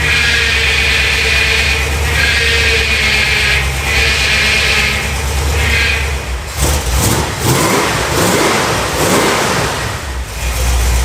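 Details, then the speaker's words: 1971 Plymouth Satellite V8 on first start in years, fresh 20W-50 high-zinc oil, oil pressure good; rough, uneven, lumpy running with sagging, hunting revs, owner suspects missing a cylinder or two: engine misfire, cause unconfirmed. "Well, sounds like I'm missing a cylinder or two in there, but the oil pressure is good."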